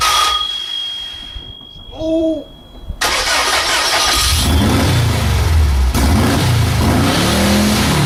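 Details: VW engine on vaporized gasoline after valve adjustment: brief crank, catches at about three seconds, rough but steady run with some revving.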